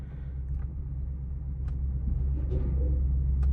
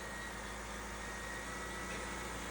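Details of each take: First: Repossessed Cadillac SRX with the check engine light on, being driven onto a trailer: a deep rumble rises unevenly and stumbles as throttle is added, nearly stalling, and it doesn't want to go. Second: Repossessed Cadillac SRX after a zip-tie repair: a smooth, even idle with a steady low hum and no stumble or misfire. Running a lot better than before the repair.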